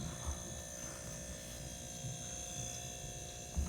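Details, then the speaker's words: Freezer that ran but would not freeze, now running after a relay replacement: the motor had not run before, and the compressor now gives a steady low hum with a faint even buzz, no clicking or cycling, so it should cool. "you hear the humming you hear the humming okay that means the compressor and the motor are working see that's the compressor here the sound so now it should cool off"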